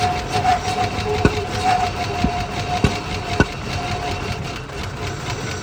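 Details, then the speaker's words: 1980 Rover SD1 V8, revived after about 18 years, idling very low: lumpy, with uneven sharp thumps at about a hundred a minute. Owner suspects a fuel delivery problem or too little air, says not ignition, and the idle is very sensitive to the air flap. "Now it's back to idling very low. Yeah, this is some kind of fuel delivery problem for sure."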